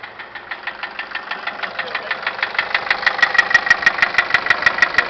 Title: 2006 nissan caravan engine knock